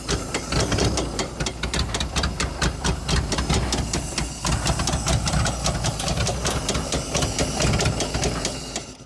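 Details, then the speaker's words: Dodge Power Wagon flathead engine just revived after stuck valves and no spark, points adjusted, battery charged: fast uneven ticking and chuffing over lumpy low note; sounded good briefly then ran rough, cause unclear. "All right. I have no idea what's going on now. It sounded good for a minute."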